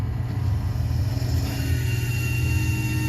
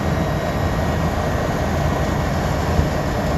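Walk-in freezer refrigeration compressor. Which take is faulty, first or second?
first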